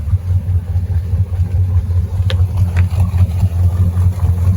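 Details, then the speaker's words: 2018 Crownline 264 CR boat engine at startup, cover open: muffled, steady low rumble with even pulse, belts not chirping; healthy idle. "sounds good belts aren't chirping"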